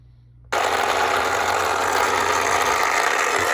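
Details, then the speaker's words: 1960s Remco Tiger Cat toy jeep in gear: small motor whirs steadily with a rapid, uneven rattling click as the front axle ring gear skips at its broken tooth each turn. "it's showing, if I put it in gear, you can hear the front gear on this front axle skipping. You hear every time it comes around to the bad tooth."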